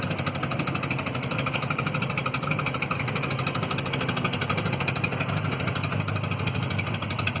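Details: Citroen Visa 11 RE small petrol engine at idle, as bought: fast, uneven puffing tick over a low burble from an exhaust leak.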